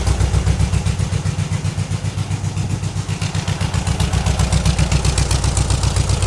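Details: 1960s VW dune buggy with air-cooled flat-four, sat over ten years, revived after ignition work and carburetor check: a steady, regular putter at about four beats a second with no misses; the idle still needs adjustment.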